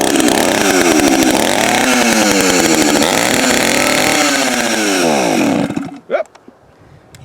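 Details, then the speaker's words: Vintage Echo-made metal chainsaw, probably 70s-80s, buzzes and wavers in pitch for about five seconds, then suddenly dies; stalls, owner suspects it is out of gas, maybe needs a fuel line or more choke; it needed gas. "if i'm out of gas probably out of gas or might need a fuel line one where it might need to be more choked you know doesn't matter it fired up and i'll cut that right out of the video"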